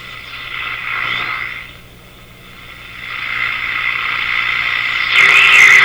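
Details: Bradna (Breadner) JBL 37 tube radio during alignment: hissy crackling static rises and falls as dial tunes, harsher near end; scratchy tuning, possibly dirt in tuning capacitor plates, cause not confirmed.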